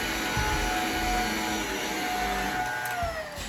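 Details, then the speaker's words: Shark Navigator vacuum after deep cleaning and clearing a clog in the hose from a sucked-up cleaning glove: steady, strong motor whine with a full, even rush of air and strong suction like new, no choked tone. Normal running. "yeah it sounds much better the clog is clearly gone and it creates a strong suction straight to the carpet like when it's new"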